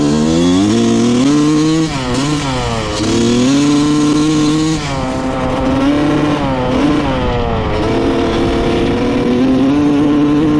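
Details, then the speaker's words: 1995 Honda CR250 two-stroke after float height set to 16 mm: revs climb then stutter and flatten, fine to quarter throttle then bad mid and upper range bog, breaking up; sounds lean, cause not confirmed. "all right the seller wasn't kidding this thing has a pretty bad mid and upper range bog to it you can kind of hear it like breaking up and uh it almost sounds lean to me"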